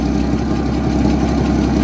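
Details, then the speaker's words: 1964 EH Holden Ute six after priming fuel lines, with some choke, running on dirty fuel through an inline filter: steady even low rumble, no knocks or misses, exhaust from muffler, no smoke or fuel leaks; normal idle. "but uh that is a win. That's an absolute win. All right. Have noise coming out the muffler. No smoke."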